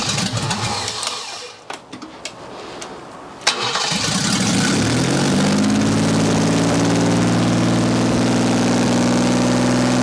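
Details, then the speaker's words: 1979 BMW 5 Series barn find, first start in 30 years with the exhaust not connected: cranks briefly, catches, then climbs to a high steady rev without settling to idle, with smoke; racing too fast. "idle sounds like it's revving really high damn woo we have some smoke we have some smoke"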